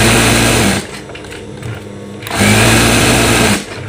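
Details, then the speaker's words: Newly assembled sewing machine stitching through 8 layers of fabric: steady fast stitching hum in two bursts, no snagging or labouring, no skipped stitches; normal sewing through thick fabric. "Alhamdulillah, hasil jahitannya nggak ada lompat-lompat. Bagus semua ya."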